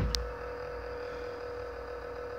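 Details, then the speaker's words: Xbox One console making this noise for some time: steady mid-pitched hum with a faint low buzz beneath, abnormal noise suspected from the power supply underneath (not confirmed). "Tá aí, pessoal, meu Xbox One. Já tem um tempo que tá fazendo esse barulho."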